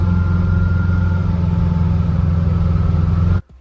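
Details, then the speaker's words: 1974 VW bus with Subaru 4EAT transmission and chain-drive reversal kit (no tensioner, chain slightly stretched), while driving. A steady rumble with a faint, thin singing tone above it. Transmission whine, which the kit maker blames on the sprocket tooth profile. "There is some whine that I didn't like, and I'm just worried about the longevity of the chain. There, it's gone. Oh, a little bit there. See, hear anything? That's that transmission singing."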